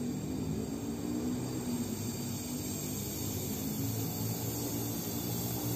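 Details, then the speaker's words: Oxy-fuel welding torch with oxygen valve opened further for an oxidizing flame: steady, harsh, very hissy sound with a low roar beneath, clearly hissier than a neutral flame; short, very sharp flame. "adalah tapi oksidasi perbedaan yang sangat jelas ya yaitu dari suap dari suaranya tapi oksidasi Ning sangat mendesis ya"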